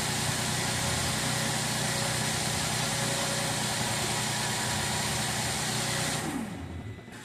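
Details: 2013 Mercedes ML350 naturally aspirated, extended crank at startup with both banks' intake cam timing codes: steady fast rattle while cranking and running, engine dies after six seconds; cam phaser rattle from low oil, poor maintenance.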